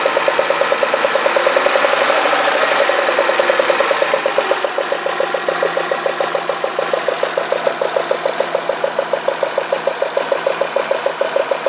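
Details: Citroën Xantia V6 at smooth idle with sharp, even ticking about two a second; cylinder 1 plug well flooded with oil spilled at the last oil change, so the spark likely arcs, not a bearing; quiet after cleaning.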